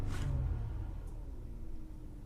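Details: 2018 Genesis G80 3.3 Sport V6, 146 km, check engine light and hesitation, cylinder 2 misfire code: deep rumble settling from raised revs toward idle with an uneven lumpy pulse; broken/chewed cylinder 2 ignition coil wire found.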